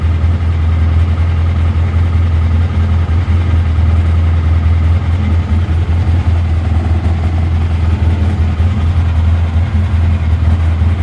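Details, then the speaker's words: 2011 Polaris Ranger HD 800 fuel-injected UTV idling warm as the cooling fan kicks on. Steady low idle with a loose, irregular rattle on top. The rattle is bungee cords banging in the back, not the fan. "there it just kicked on it's not the fan that you're hearing [Music] rattling these bungee cords back here banging on this"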